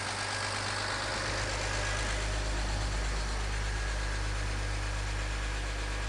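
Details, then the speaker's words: BMW X3 E83 with the M54 inline-six, first start after a head gasket replacement and rebuild, cold with oil pressure confirmed: a steady, even low hum with no ticks or misses, idling cleanly and normally. "There we go. That's what an M54 is supposed to sound like. Yeah, that sounds great, actually."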